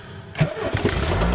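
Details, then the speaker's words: Ford Cortina Mk3, sat in a field since 1983, battery charged, points filed, accelerator pumped to get petrol through: short crank, fires and picks up into an uneven but settling idle; normal start and idle. "I'll get the petrol through and it started clock sprung into life the car does not want to die and tell you that much"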